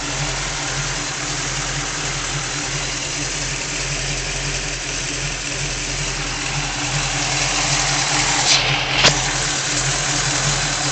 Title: Rough idle